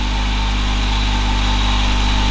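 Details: 2011 Honda CR-Z race car after throwout bearing replacement, clutch pedal held down: smooth, even low idle with steady drone, no growl or rattle; the noise returns with the clutch released, pointing to a failing transmission input shaft.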